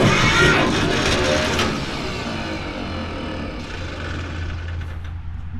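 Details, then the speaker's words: Starter whirs and spins down without the engine turning over while cranking to build oil pressure after fresh fluid top-off, in neutral; bendix drive isn't engaging the flywheel, an intermittent no-start the owner reported that worked fine last week. "He says it wouldn't start. Well, guess what? I think it's now doing it. Bendix drive's bad."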